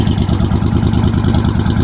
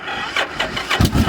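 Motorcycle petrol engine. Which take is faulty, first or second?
second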